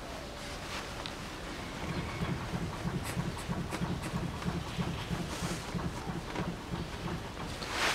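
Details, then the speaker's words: Chevrolet Epica 2011 rocked while parked, giving dull low thuds about three times a second from the rear wheel area: worn lower control arm bushing; on the road it knocks over potholes, curbs and rails, right side fine. "так стучит Нижний сайлентблок его явно четко слышно на машину он передается очень явно"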